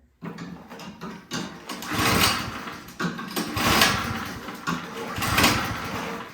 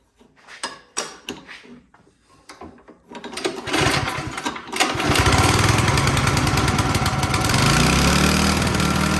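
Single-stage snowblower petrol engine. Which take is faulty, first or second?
first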